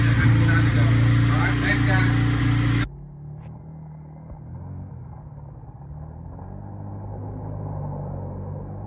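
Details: Kawasaki KFX90 ATV after a top-end rebuild, bench-run with no chain and the restrictor still on. A strong, even drone when revved, then it drops to a steady quiet idle with no tapping: solid engine, normal running.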